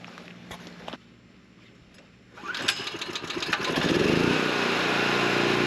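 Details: Harbor Freight Predator generator on a periodic test run, cold-started on gasoline because cold starting on propane is difficult, with an air compressor of perhaps 1,500–1,600 W as the planned load. Quiet, then the engine catches at about 2.5 seconds, climbs to speed and settles into an even drone: a healthy start.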